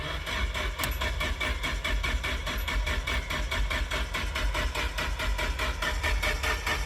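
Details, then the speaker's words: Nissan 240SX no-start, fuel pump 10 A fuse had blown, no fuel from return line while cranking, no vacuum: steady rhythmic starter churn a little over one beat per second with no firing; cranks but no start. "So, when I was cranking it, took the return line off and no fuel is getting through the return line."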